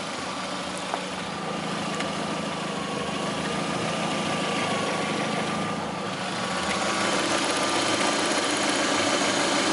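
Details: 2009 Lada Priora, 37,000 km, at steady idle: light, fairly regular tapping about three per second, a knock inside the engine that began 500 km after adding Suprotec; owner suspects the additive, cause unconfirmed.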